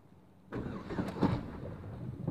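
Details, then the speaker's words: 5-speed manual car with a dead, blown engine (hole in the side; oil pump failure suspected). The clutch safety switch is bypassed and the key is turned in gear, so the starter drags the car along with a low, laboured, uneven grind: starter cranking in gear. "and as you can see the car moves so I'm now going to drive drive the car"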